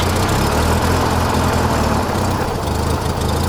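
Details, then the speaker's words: Rotary engine running on one failed leading (front) ignition coil/igniter while the trailing one works: uneven, lumpy idle with irregular low thumps that stumble; misfire from the failed leading coil. "So the front is the leading is the one bad one. Oh, that's the bad one. That's the one you do not want to go out. The trailing's working, the leading's not."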